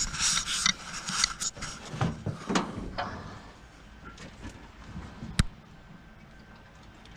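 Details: 1951 Oldsmobile 88 parts car, 303 V8, cold compression test on the rear cylinder: starter turns over in short uneven bursts with clean compression pulses; reads 190 psi, holding good pressure.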